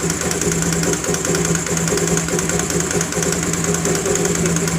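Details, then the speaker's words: Honda Grazia BS4 scooter at idle: sharp ticking puff about two per second, in time with the engine, first mistaken for timing chain noise; the spark plug was only loosely fitted and leaking compression. "पूरा तरह से पलक हमारा loss है पता नहीं कहां पर है दोस्तों खाली फंसा के छोड़ दिया है पूरा तरह से देख का रहे हैं और यहीं से हमारा कंप्रेसर भी कर रहा है"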